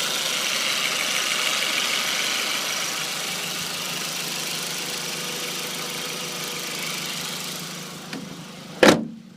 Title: B6 a4, gt2871r elim, bird chirping noise from engine bay, best heard through wheel wells.